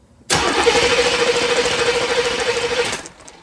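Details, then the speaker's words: C4 Corvette: the starter spins the engine steadily for about 2.5 seconds with no firing at all. Noid light shows the injectors not firing; a crank no-start with no spark, traced to a cracked distributor power terminal. "Go to crank it, nothing. I mean, it cranks, it just doesn't start."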